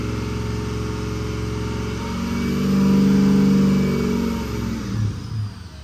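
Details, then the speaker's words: 2005 Ford F-250 6.0 Powerstroke with a hot crank-no-start, oil temperature climbing: ICP drops at idle with the IPR at its limit, so the diesel idle swells and sags in slow oscillating waves. A faulty IPR is suspected, and it was later replaced. "so ICP steading been dropping an idle but this is all the IPR will [Music] do you can hear it oscillate"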